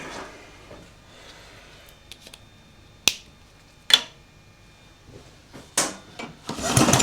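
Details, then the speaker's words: Spark test on lawn mower engine (stored outside, tank and carb likely full of water) for a homemade outboard: sharp crisp snaps at irregular intervals, a strong healthy ignition spark. "yeah actually really nice Spark perfect"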